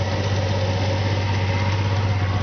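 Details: 1997 Audi A4 2.8 Quattro 12-valve, intake and exhaust tip only, misfiring at idle with a low, lumpy, uneven beat and shaking throb; codes for cylinders 2–6 and random misfire, worse after new coil pack and plug wires; plugs replaced months earlier, injector O-rings replaced, bogs under throttle.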